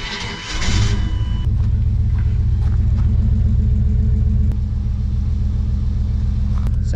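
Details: 1996 Chevrolet Suburban, 5.7 Vortec V8, 4L60E, hot engine idling with an uneven loping beat from a long-standing misfire. Exhaust manifold at cylinders 2 and 4 measured colder than at 3 and 5.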